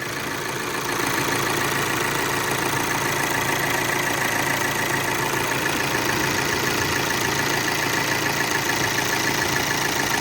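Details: VW Amarok turbo diesel, automatic, after timing belt, tensioner and water pump repair with timing corrected: steady, even idle with a smooth unchanging tick and no knocks or rattles; leak gone, normal idle.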